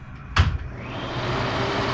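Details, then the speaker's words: Newly installed Broan bathroom exhaust fan replacing a loud old one: click, then a soft, even whoosh, much quieter, no rattle or grind. "oh yeah that's much better you can hardly hear"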